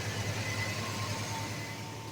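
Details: 1991 Chevy S10 revived after trouble getting fuel delivered: engine holds a quiet, even idle with a steady low hum, no stumbling, running on its own fuel.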